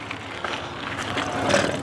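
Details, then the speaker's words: Trek Marlin 6 mountain bike riding over rough trail: rolling noise with scattered hollow, tinny "tin can" rattles from the internal cables slapping loose inside the frame. "because for some reason these cables are loud inside the frame. So when you riding over chunky sections or riding down the trail, sometimes you'll hear this loud tin can sound, I guess you could call it."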